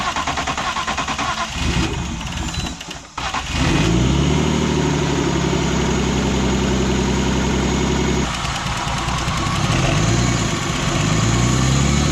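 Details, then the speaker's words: E36 with turbo M52 on E85 after cylinder 4 lost compression, suspected stuck lifter, valve cover refitted: cranks a few seconds, catches and settles into smooth even idle with brief rev on all six cylinders; normal idle. "I mean that's very nice that it runs great again"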